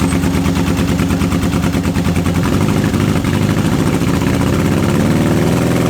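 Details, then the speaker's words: Old Honda CB750 K four-cylinder project bike, first start in years on unleaded petrol with choke on; uneven, lumpy idle with missing pulses. Appears to run on only two cylinders on one side; owner had expected a coil fault, cause unconfirmed. "It seems to only be running on the 2 cylinders on this side, which is surprising because if 2 cylinders weren't running I'd have thought it'd be the coil."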